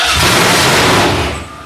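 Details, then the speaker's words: Freshly rebuilt Holden 308 V8 on a part chassis at first start: loud, ragged cranking with no firing that dies after about 1.5 seconds, with no fuel reaching it. Cranks but no start, no fuel. "No fuel, no fuel."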